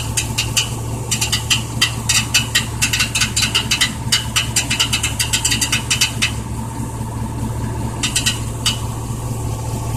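Engine idling steadily with a dry metallic rattle coming in quick irregular bursts over it; the source isn't clear from sound alone.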